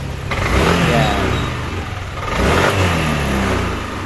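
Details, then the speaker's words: Yamaha Aerox v2 scooter after fuel injection cleaning, which fixed it stalling when throttled: engine blips the throttle twice, rising cleanly and settling back without stumbling or dying; normal throttle response. "so yan naung result niya after nating mafy cleaning so gumanda na ulit yung response"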